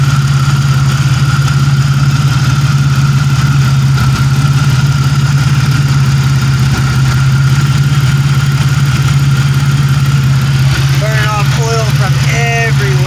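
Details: 1997 Pontiac Grand Prix GTP coupe, low on gas, no catalytic converter: steady, even, throaty low rumble at idle with no misses or knocks; engine running great.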